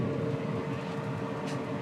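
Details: Formlabs Fuse Sift SLS powder station running with negative pressure, sifting aged powder off parts from the chamber: steady even mid-pitched hum with soft airy rush; operating normally.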